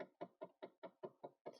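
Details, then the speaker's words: 2013 Dodge Charger SRT8 with engine modifications, no-crank complaint, in a quiet cabin: quick even knocks about five per second in background, HVAC blend door actuator during self-test, which has a known issue. "that is a hvac blender if you can hear that in the background that is an hvac blend door going through its self-test there's actually an issue there but that's not the point of this video"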